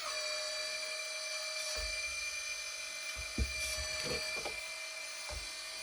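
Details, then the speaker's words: Hydraulic pump of a 1/14 RC4WD bulldozer after tightening a loose fitting suspected of letting air in and topping off the tank: constant high whine, steady pitch, occasional light clicks, a little noisy but working properly. "All right. Looks like it's working pretty good now."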